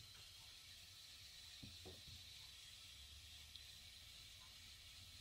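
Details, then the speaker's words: Potterton HE 28 combi boiler in a hard water area with a broken tap on the filling loop pipe, pressure above 3 bar and relief valve operating: steady constant hiss of water running through pipework; filling loop valve passing water. "can hear that that's constant running and what it is the taps on this loop pipe that this one is actually missing it's broke"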